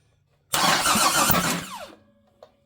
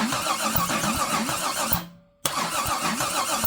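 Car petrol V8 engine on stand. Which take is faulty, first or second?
second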